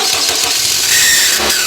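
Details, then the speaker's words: Vehicle starter while cranking: harsh hissing "zizz" grinding with no clean catch; starter drive gear is dry, fixed by putting a little oil on the starter drive. "只要出现滋啦啦这个声音，都是咱们起重机该保养了，只需要把那起重机的甩轮上打点油，这个问题马上就可以解决了。"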